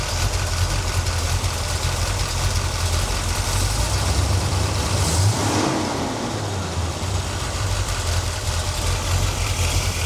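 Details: 1977 C3 Corvette 383 stroker, carbureted, after idle mixture screw adjustment: steady, even low idle burble with no stumbling or run-on/dieseling; the idle mixture now sounds right.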